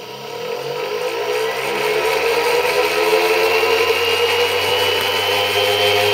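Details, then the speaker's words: ZFM pulse motor at 36 V, 70–75° firing arc, aluminum rotor with neo magnets: smooth whir climbing steadily in pitch as the rotor spins up, about 6,800 RPM, about 1.2 A, no knocks or scraping; normal run. "You can hear it cranking up right now. Probably about 6,800 RPM."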